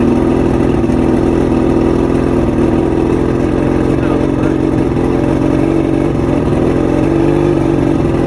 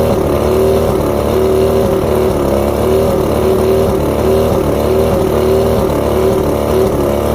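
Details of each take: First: Two-stroke outboard, fully rebuilt with all-new electronics after three weeks chasing rough idle, surging and misfires: smooth even idle, then two clean throttle blips settling straight back down; runs properly. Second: Two-stroke outboard at idle: uneven buzz with a wavering, lumpy beat, one cylinder missing. Coil outputs about 250 V except coil 4 on the even-cylinder bottom switch box; coil tested good, so faulty switch box gives weak spark.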